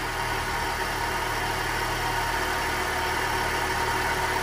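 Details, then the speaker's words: Chevrolet Celta with 157,000 km at idle, heard from the front of the engine: very loud, strange steady droning growl like a bad bearing, no beat; worn A/C compressor pulley bearing. "o projeto dá para perceber e o barulho muito alto muito estranho é"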